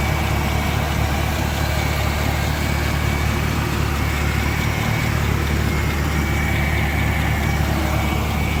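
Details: Petrol engine idling the day after an oil change to Penrite 5W-30 full synthetic: light, fast tick about three per second over steady run; owner asks if it is lifter tick, top-end source uncertain.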